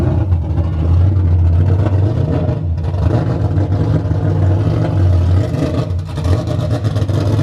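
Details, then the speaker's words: Nissan S14 240SX first start after being made drivable, heard behind car at exhaust: loud deep burble with rev blips and lumpy low note; fumes burn eyes, running rich. "It burns your eyes standing behind it. Oh yeah, it's fucking running fat. Fat baby."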